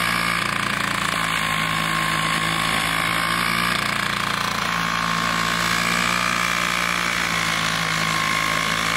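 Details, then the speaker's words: Vintage Toro 19-inch Flymo hover mower, spring adjusted to run about 3,700 rpm, kill switch fixed, mowing frozen grass in snow: high-pitched two-stroke buzz at steady speed, no surging or dropouts; normal running. "doesn't work that bad works good on frozen grass maybe you should use it in the winter time"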